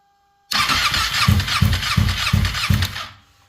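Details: Ducati 959 Panigale race bike that suddenly lost power and misfired, then would not restart, with no ECU error codes; voltage drops low at ignition-on. The starter labours through slow compression beats without firing. Cause suspected, not confirmed.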